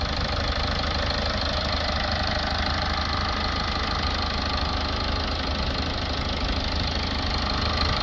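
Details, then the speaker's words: Toyota Auris 1.4 D4D diesel with P2463 blocked DPF, during cleaning-fluid DPF cleaning: even diesel clatter at steady idle, no misses or heavy knocks; engine sounds healthy. "Engine sounds nice on this. Sounds like a proper diesel."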